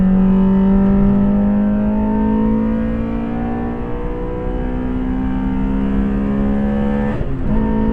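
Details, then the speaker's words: Honda Civic EJ coupe with B16A2 engine on a track, under acceleration: smooth, clean rising scream through the revs with no misses or knocks. Healthy high-rev running. "Listen to that B16 scream."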